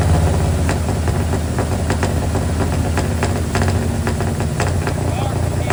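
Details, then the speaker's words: Square body single-cab Chevy truck with a small block 350 V8, running again after six months down with a broken starter bolt hole, now fixed with a stud. With the firing order corrected and timing set, it holds a steady, even, deep idle rumble with no knocks or stumbles. "Man, does it feel good to hear that sound again? Well, well, well. She finally runs again since last November, which is 6 months at this point, half a year already."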